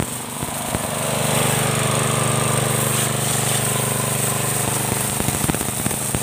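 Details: Motorbike-wash pressure washer after a spare-part modification to fix weak spray: a petrol engine pulls steadily under load with a hard hissing jet sprayed onto the floor. Strong output, many times stronger than before.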